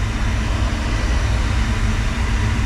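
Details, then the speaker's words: Diesel-fired medical waste incinerator from an airport, idle for months and newly wired for 220 volts, during six-minute pre-burn: constant deep roar of burner and blower, no surging, popping or sputter; running normally. "I can hear it man it sounds it sounds pretty thorough something's happening for sure"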